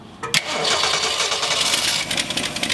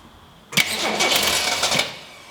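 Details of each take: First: 1966 Ford Mustang barn find after a long sit, bad old carburetor replaced with a good used one: starts after a short crank, revs briefly, then settles to an even steady idle, no miss or stumble, while idle and choke are adjusted. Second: 1966 Ford Mustang straight-six with a mechanical fuel pump, first start attempt: a brief crank, then it fires and roars for about a second on poured-in gas before fading; no-start from fuel starvation.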